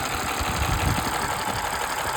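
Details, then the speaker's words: Warm petrol engine at operating temperature idling with a light, quick valve ticking/clatter that is absent when cold and varies more and less after a drive. It is attributed to engine oil thinned by blow-by dilution from a long-overdue oil change. "দটা হয় না যখন engine ঠান্ডা থাকে তখন এটা পাওয়া যায় না কিন্তু ইঞ্জিন যখন অপারেটিং টেম্পারেচার যায় তখন এই বালটারটা শোনা যায়"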